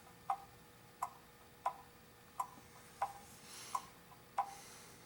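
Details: Customer's cleaned and oiled antique clock after bending the crutch forward and sideways to set the beat: crisp ticks about 88 a minute, steady and nearly even over a quiet room; clock running properly, in beat.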